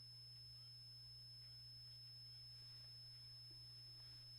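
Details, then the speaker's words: Hitachi K-2400 TV/radio/tape combo after contact cleaning of pots and switches, radio tuned: low mains hum with a thin, steady high-pitched whine; source not found. "a horrible wine coming from it there is some life right now"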